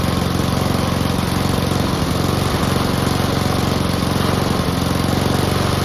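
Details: Honda and Mountfield petrol lawn mowers (Mountfield with a replacement fuel tank) idling together before winterising: steady, even low throb with regular firing, no misses or knocks; both healthy.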